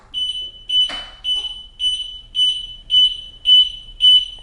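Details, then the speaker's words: Pride Zero Turn 10 mobility scooter: eight sharp high-pitched beeps from the tiller, about half a second apart, motor fault code from an unplugged motor cable under the batteries; fixed by replugging and power cycling. "so one of these comes unplugged let's say this one and then I attempt to drag the scooter I'm going to get an eight flash code"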